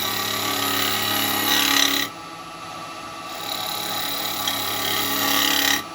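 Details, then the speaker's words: Lathe turning a small yew pot pourri pot: motor hum and hissy gouge cuts, with light clicking noises each time the tool passes the crack in the workpiece. "You can hear the clicking noises from where the crack is."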